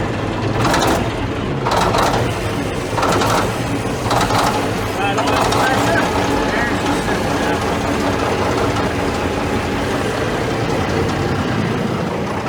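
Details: Caterpillar D9G dozer, sitting about ten years, cranked after the 24 V glow plugs and hand primer: slow, labored cranking of about one heavy chug per second, then it catches and rumbles on unevenly. Starts after long storage.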